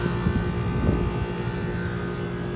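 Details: Newly installed York rooftop HVAC unit, 3-phase compressor started. It draws 3.7 amps against an 8 amp max, with supply air about 67°F and return air 87°F. Steady even hum, no knock: normal compressor running.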